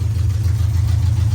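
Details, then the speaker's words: 1986 Camaro on open long-tube headers, Edelbrock Performer intake and Edelbrock Performer 650 carb, first start after sitting and hard starting: deep loud lumpy, uneven idle; runs rough, cause unclear. "not exactly running how it should you can hear it doesn't sound the [Music] greatest"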